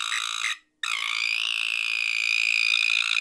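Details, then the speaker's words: Acoustic Audio H-CD12 speaker driven at high power, voice coils overheated: harsh high-pitched crackling buzz, steady after a brief cutout. Tweeter failing; visible arcing is the likely noise source. "I can hear I can see a zap like right here it's arcing out I think that's what's creating that noise"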